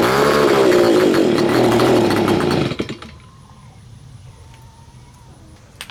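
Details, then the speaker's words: Neglected Stihl BG55 two-stroke leaf blower, curb find, first start after cleaning, choked: high buzzy note wavers unevenly for a couple of seconds then cuts out; runs rough, carb needs adjustment. "oh yeah gonna need adjustment"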